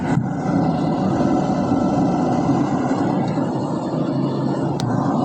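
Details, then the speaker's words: Polytron inverter jumbo refrigerator modified to manual control with a timer, tested after the conversion. Steady, even whoosh from the fan with a faint constant hum and no rubbing or ticking; the fan runs normally and loudly. "Alhamdulillah. Suara kipas kedengaran kencang sekali."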